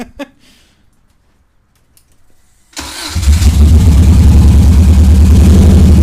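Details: Subaru EJ22T with DOHC head swap, RobTune EJ20G ECU and 4-to-2 ignition converter, first start: catches into loud, lumpy, pulsing idle running on three cylinders; MSD coil pack wires twisted together, likely two wires swapped.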